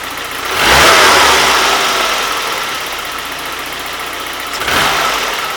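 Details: 1991 Saab 9000 2.3 turbo 16-valve, start-up after an easy repair under the coil pack for an intermittent running fault: catches quickly with a short rev flare, then even idle with no stumble; normal start and idle.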